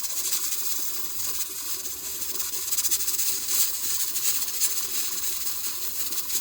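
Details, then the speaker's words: Presto pressure canner with 15-pound weight at full pressure, gauge about right, canning ground beef for 115 minutes: steady sharp hiss with light irregular flutter of the rocking weight; holding pressure normally. "Alright everyone, that's the sound you're looking for. So you can see my gauge is about right. And it's just going to hiss like that."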